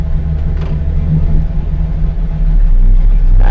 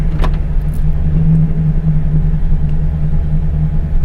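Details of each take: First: LS V8 truck after cam swap, shifted into Drive. Intake air advance and torque management are pulling ignition timing. Idle loads up and lopes unevenly, heavy low rumble, no mechanical knock: rough idle from timing retard. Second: LS V8 truck after cam swap, idling in Drive after torque-management timing retard was disabled, holding about ±50 rpm. Smooth, low, steady rumble with no hunting or misses: normal idle in Drive.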